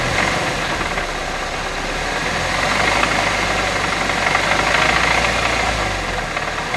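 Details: Engine (B207R) at a steady idle: a fast, uneven ticking-knock of about four per second comes from inside the engine; cause unclear.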